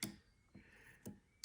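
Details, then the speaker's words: Flood-damaged Porsche 968 cabriolet with a fresh battery, starter solenoid bridged directly with a screwdriver; a few sharp dry clicks about half a second apart with no motor whirr, so the starter motor has died. "I can hear it wanting to click."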